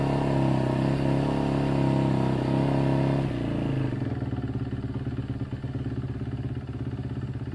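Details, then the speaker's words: 2011 Kawasaki KX250F single after reassembly. Starts easier, revs high, then drops to a lumpy idle that wanders up and down. Hunting idle, but much better: it now idles down and no longer hangs. "it definitely sounds a lot better and it started a lot easier too it's definitely got a weird wonky kind of up and down idle but that's much better"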